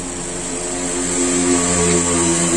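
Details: Mazda CX-3 blower motor after repair, previously noisy when the engine was running: steady fan whoosh with a smooth, even hum rising slightly as it spins up, no squeal or grinding; blower runs normally.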